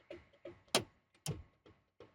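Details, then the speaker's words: 2G DSM (Mitsubishi Eclipse/Eagle Talon) turn signals tested via hazards: sharp clicks about three per second, roughly twice normal rate, signals not working properly; turn signal hyperflash. "Interesting. I guess they're not working. Let's find out. Let's find out. No, it's blinking fast."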